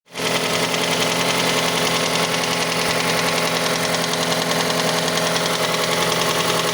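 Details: Mazda CX-5 petrol engine at idle, cold: light, uneven knock about two to three a second over the running noise, present until about 70 degrees; cause unknown, variable valve timing mechanism suspected, not confirmed.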